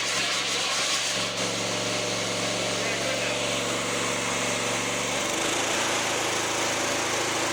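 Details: Fairly new lawnmower run with the mower deck off after checks: fast steady buzz, brief stumble and bog around five seconds; intermittent misfire, choke clears it, owner suspects a fuel problem.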